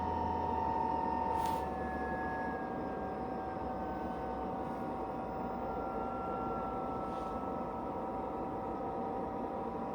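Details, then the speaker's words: JP D6E combi heater on first test run in cold air, restarting about two minutes after switching off: steady whirring tone sags in pitch for a few seconds, then holds even; normal restart. "that's in the cold air and it's switching back on again just two minutes later"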